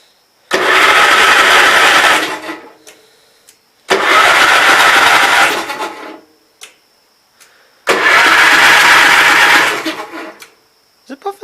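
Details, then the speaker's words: Gravely Pro 12 tractor, retried with a bigger battery: three strong two-second cranking bursts, quick even turnover, no firing, some dust or possible smoke from exhaust; normal cranking. "I'm thinking that's some kind of dust but anyhow she cranks over."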